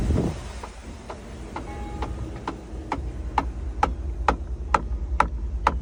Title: 2012 Tahoe LTZ passenger rear interior quarter panel knocking noise??